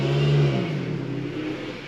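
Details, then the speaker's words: Ford Focus MK2 1.6 petrol, engine running while driven in: steady low whine at the front from the power steering pump on low fluid, caused by a split, leaking power steering pressure pipe. "You can probably hear that pump whining a little bit as the fluid's getting a bit low due to this power steering"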